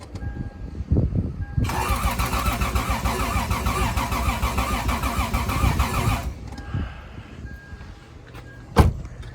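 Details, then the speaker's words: Lexus IS300 cranked without spark or fuel while checking fuel-rail injector leaks before MicroSquirt ECM install: about 4.5 seconds of steady, even cranking beats, compression sounding good and balanced; normal cranking. "I did crank the engine when I was checking for fuel leaks and it sounds good, compression sounds good."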